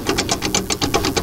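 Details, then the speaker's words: 1960s Soviet LuAZ SUV, air-cooled V4, AWD, dry oil pan, being towed: fast harsh rattling clatter around eight bursts a second, like engine revving at 5,000 RPM; coming from the broken remains of the drive shaft. "Even while we were towing this thing, it made these wild noises. Sounded like the engine was revving at 5,000 RPM."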